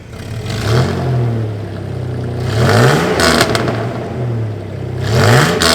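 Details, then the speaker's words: 1989 Toyota Pickup just after fitting a used exhaust from the downpipe back, sleeved and welded: revs rise and fall with a harsh, raspy edge over a quieter exhaust note; better at idle and driving, but raspier, possibly an exhaust leak, unconfirmed. "Alright, the new exhaust is officially installed, and it sounds a little different. Now, at idle and driving, it sounds so much better. It's so quiet, but it's a little raspier now."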